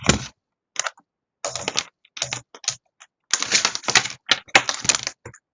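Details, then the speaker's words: Relay in an LED switching circuit for an electronics lab, driven by a function generator: sharp, dry clicks in quick clusters with silence between them; the relay pulls in and drops out normally. "do have a clicking going on on the relay so the the relay is in the circuit now"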